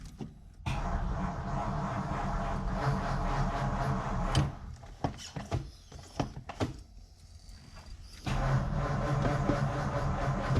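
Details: 1953 Ford Customline Club Coupe barn find, sat about 15 years, fresh spark plugs, carb cleaner in air cleaner, unsure of gas in tank: even starter cranking, spins freely but never catches across repeated tries; no start, points to no spark.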